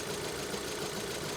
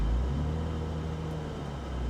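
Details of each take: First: 2012 VW EOS at idle with the A/C on, stumbling hard, bucking and misfiring with an uneven, lumpy, wavering beat and a knocking edge; the car struggles to keep running despite damage only at the rear. Cause unknown. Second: BMW Z3 from Texas, about 22 years old with 52,000 miles, at idle: steady, even low exhaust rumble with no misses, ticks or rattles; healthy, smooth idle.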